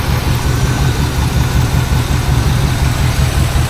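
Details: 1986 GMC truck back on the road after almost 10 years, with new fuel filter, air filter, oil, oil filter, plugs, wires, battery and fresh gas, first crank: deep steady V8 idle with an even beat and no misses or knocks.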